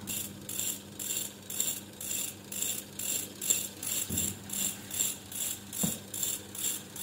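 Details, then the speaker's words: Treadmill DC motor bench-tested on 8.7 V DC turns slowly with a rhythmic scraping rattle about twice a second over a low hum; armature shaft off-centre, rotor wobble, which distorts IGBT output and heats the drive IGBT. "it's uncentral rotation it will cause to make more distortion in the igbt output that is here we can see and this vibration this noise it will continuously cause to heat up the igbt"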